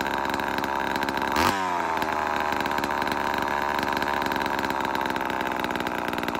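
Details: Vintage Homelite Super XL-12 two-stroke chainsaw, started after sitting a while: short rev then steady buzzing high idle with no misfires or stumbling; normal running.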